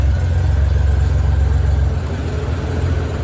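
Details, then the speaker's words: 1997 Honda GL1500 Goldwing at operating temperature, right after carburetor synchronization with both vacuum columns even near 40: low, even burble at a steady 800–850 rpm idle, no hunting or stumble; normal idle. "And it's running right around 800, 850 RPM, so we're perfect."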